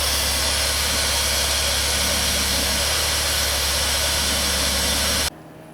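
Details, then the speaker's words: 2000–2007 Ford Taurus/2000–2005 Mercury Sable after fuel filter replacement, primed and started right up: steady even idle under a smooth hiss, no stumble or misfire, then it shuts off. Engine runs clean. "I primed it and it started right up so it seems like it's running pretty good"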